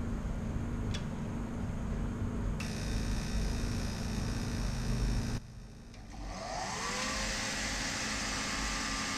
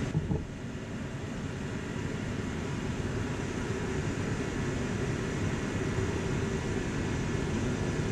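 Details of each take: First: Forced-air heater with a specified pump pressure of 3.5 psi but reaching only about 1.5 psi. A steady motor hum, then the fan spins up with a rising whine and no burner roar follows: no combustion from low fuel pump pressure. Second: Dyna-Glo Workhorse 65,000 BTU forced-air torpedo heater with spark ignition, air adjusted for cleanest burn: steady, even low roar from fan and flame without sputtering or surging; no smoke at thermostat shutoff, burning cleanly.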